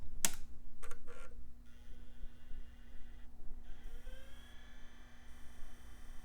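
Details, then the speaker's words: iMac G4 optical drive tested with disc taped down in place of the missing magnetic clamp: a few clicks, then a faint whine rising smoothly as the disc spins up; drive judged good. "and that looks like a spin up to me I think this drive is good"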